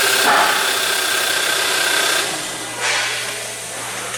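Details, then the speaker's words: Hyundai Elantra GT with intermittent no-start, after contact enhancer applied to connector terminals: brief cranking whirr, catches cleanly and settles into a steady idle; normal start, fault not reproduced. "so far every time i set a car it always starts"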